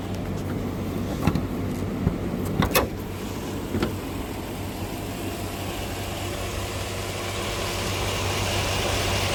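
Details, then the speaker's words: 2018 Chevy Silverado 5.3 V8 running rough: uneven, lumpy idle with irregular stumble and sharp clacks; scan tool misfire counter shows cylinder 2 dead, not firing; clacking underneath, broken valve spring suspected but unconfirmed. "All the other ones are at 0, including 8. But cylinder 2, it just keeps counting. So cylinder 2 is not firing."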